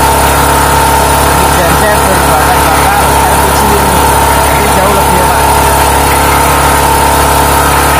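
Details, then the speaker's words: Small generator converted to run on LPG (3 kg cylinder) for a quail coop power backup: steady, even drone with no misses, surging or hunting while holding speed; smoother and more stable than on petrol, normal running. "Sudah tak coba menyalahkan dengan menggunakan elpiji yang hasilnya suaranya lebih halus kemudian untuk t'adore lebih stabil"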